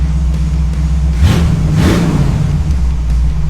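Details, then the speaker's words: 1947 Ford F100 with a Ford 302 V8 after the Holley-to-Edelbrock carburetor swap, electric choke still to be tuned. Deep, even burble that picks up cleanly on a quick blip and settles smoothly; runs much better, normal idle and revving. "she runs way better this Edelbrock throttle response is like completely different"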